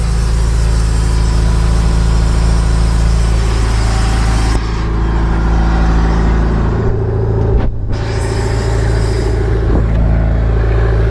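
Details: MerCruiser 3.0 boat engine idling after a cold post-winter start on garden-hose water, warming up so the oil thins for an oil change. Steady low rumble at about 3.5 pulses per second, even, no miss or knock: a healthy idle.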